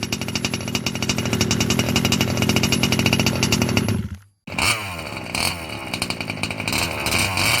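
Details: Losi 5B TLR with OBR 34 two-stroke engine, first fire-up after bottom-end rebuild for a failed crank bearing: high buzzy note revving up and down cleanly, no rattle or grinding.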